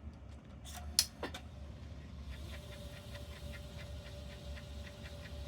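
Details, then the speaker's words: Late-1980s Mitsubishi HS-337UR VHS VCR: after handling clicks, thin steady whir with faint regular ticks; normal rewind for an older deck, though a failing mode encoder switch is suspected elsewhere. "it's about what I would expect for rewind on one of these older machines"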